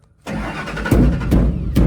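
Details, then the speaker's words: Ford F150 with an intermittent fuel problem, key on with power confirmed at the pump connector: starter cranks steadily with even pulses about every half second but never catches, with over a quarter tank of fuel; crank no start, failed fuel pump. "keep cranking okay Jesus that sounds empty you sure you not out of gas Frank little over quarter tank well I guess that's good that way I don't have to kill myself putting the fuel pump in oh man okay well needs a fuel pump"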